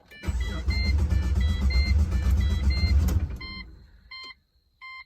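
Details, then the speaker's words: Pontiac GTO being rebuilt after a crash, running open headers; it often won't start on the first try, cause unknown: engine catches, runs loud and lumpy about three seconds, then shuts off; hard starting. "the car still has this little start up issues where it won't start on the first try for some reason"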